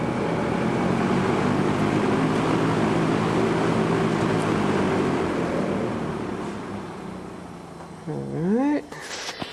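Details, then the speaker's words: Vintage McGraw Edison box fan, first plug-in test after cleaning motor, bearings and bushings with contact cleaner: steady even whir with low hum, spins up quickly, holds speed without rattle; healthy. "right that wasn't a bad test that actually span spun up fairly quickly and really ran nice and look at that spin down"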